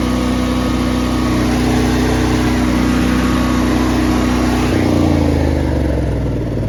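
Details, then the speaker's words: Honda EB 11000 generator on a 20 lb propane tank after replacing the flow-restricting tank connector hose with a new fitting and longer hose: steady drone with a clear tone, settling to a firmer, even pitch; runs smoothly on propane. "Okay. Well, there you [clears throat] have it. Propane problem solved. Uh, it starts up."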